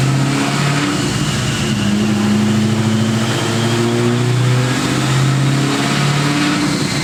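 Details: Built, cammed supercharged 2003 Ford Mustang Cobra (~700 hp, Borla ATAK exhaust, 93 pump fuel) driving in cold rain after a retune that raised boost to 22 psi; strong, smooth V8 pulling through revs, no misfire or surging; normal running.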